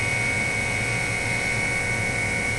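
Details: RT-7/APN-1 radar altimeter at 28 V DC switching on: even high dynamotor whine as it spins up over a low steady hum, current jumping to about 6 A then settling near 2.5 A while the tubes warm up; normal running.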